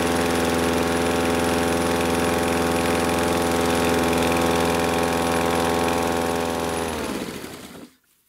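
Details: Husqvarna R 53SV self-propelled lawn mower after Sea Foam was added to the fuel: steady, even running with no surging, then shutdown. The earlier surging was suspected to come from blocked carburettor jets; no carburettor cleaning was needed.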